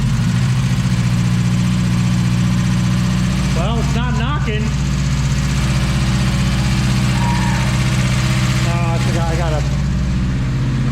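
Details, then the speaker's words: Honda Integra with freshly installed engine and transmission, first start: engine holds a steady raised speed with an even drone and no knock; throttle held open causing high idle, needs adjustment. "yes throttle is being held open yeah because this was on this one here and nothing we didn't change anything with this so we'll adjust that and put that to the right that's just high idle"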